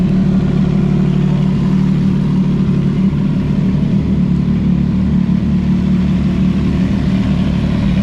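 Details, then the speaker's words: CFMOTO 675SS motorcycle, cold start and rev after winter storage: a smooth, even engine note holds a steady deep hum with no misses, rattles or knocks, and the rev sounds loud. The bike runs clean with no warning signs. "Not gonna lie, that rev kind of that rev kind of hit my ears again, which feels good because I was getting used to it for a while, but that felt pretty good."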